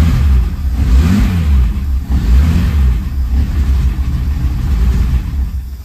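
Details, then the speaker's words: 1963 Mercedes W111 220SEb convertible under restoration, restarted after running out of fuel with injection pump possibly unprimed: revs rise and fall unevenly, stumbling; suspected air leak, black smoke and a fuel leak found. "could definitely sucking air in somewhere"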